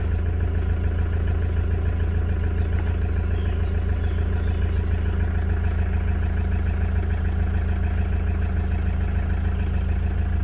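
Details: 2009 Toyota Commuter van, 2.5 D4D diesel, heard from inside the cab: an even, low idle with a steady beat and no knock or rattle. The engine sounds quiet and healthy.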